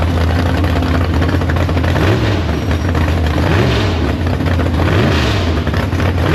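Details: Big-block Chevy V8 in the Farm Fresh gasser, warmed up to temperature, carb downjetted and running a 750 carb: loud, deep, lumpy idle with light throttle blips, steady and healthy; runs, no leaks, goes forward and backward. Normal idle.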